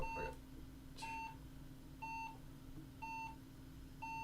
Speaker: 5 slow beeps, no RAM, folks.